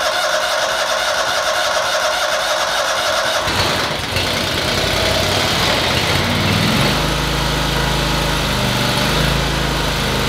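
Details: Toro Wheel Horse 522xi garden tractor that would not start after sitting four months, during fuel system troubleshooting; quiet, then the engine catches and settles into a steady even run, no knocking or stumbling. Normal running.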